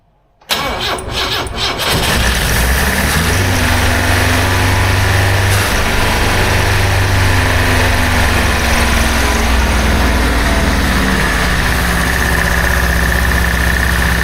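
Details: 1976 BMW 2002 (automatic), first start in years after restoration, fuel poured in: cranks, fires and holds a fast steady idle easing slightly; idle too high, owner suspects many vacuum leaks; no coolant, short run.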